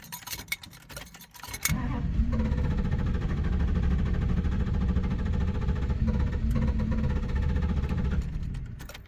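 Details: 1990 Dodge Ramcharger cranks but won't start after dying at a stop: starter grinds the engine over steadily for several seconds without catching. Fuel pump audible, not overheated; owner suspects low fuel, unconfirmed.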